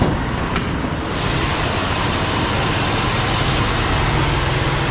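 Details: 1966 Ford Galaxie 500, 352 4V carbureted V8, true cold start at 47°F after three months unstarted, warming in neutral: steady even low rumble, no knocks or misses, smooth warm-up idle; healthy.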